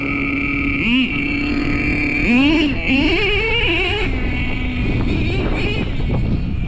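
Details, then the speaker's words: Traxxas T-Maxx with OS .18TM nitro engine and RD Logics dual pipe, still being tuned to stop hanging: high steady buzzing idle between sharp throttle blips, dropping back cleanly without hanging; low idle, loud pipes, running better. "Sounds like it got better. Trust me, that idle is low. It's just them pipes are so loud."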